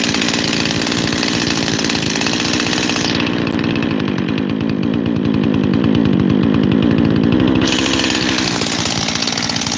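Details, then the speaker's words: Freshly rebuilt 372 X-Torq saw with new bearings hunts at idle, surging up and dropping back between two idle speeds. The owner suspects an air leak at the transfer cover gasket and plans to reseal it with 1184. "And then hope that I don't have 2 idles, because right now it's got 2 idles."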